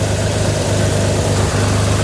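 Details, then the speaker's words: 1983 Chevrolet Monte Carlo G-body off the road about 10 years, just started after a new starter: even, steady low idle with a firm hum, no misses, knocks or stumbles; owner notes a little blow-by; normal idle. "Well, it fired right up, and I mean, it's running somewhat smoothly, not too bad."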